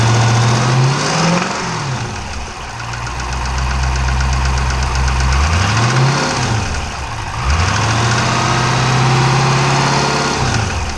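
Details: 392 V8 with 1400 miles, steady knock about four times a second that follows the revs up and down, said to sound like a Cummins; engine knock, cause not yet known.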